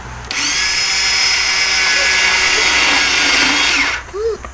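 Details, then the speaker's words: Japanese 50cc quad that sat unused for years, cranked while checking for spark: high, steady whirring whine with no engine turnover, then winding down. The starter spins freely without engaging. "not uh starter's not engaging hit it again"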